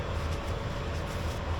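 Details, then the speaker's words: EFII fuel boost pump on Long-EZ N916WP being primed with 100LL fuel to wet and lubricate its internal gears; low steady pulsing hum with slight rhythmic flutter, smoothing out as it clears. "Okay, I'm starting to hear where it seems like it's clearing out a little bit, but we've at least got those gears in there wet with 100 low lead."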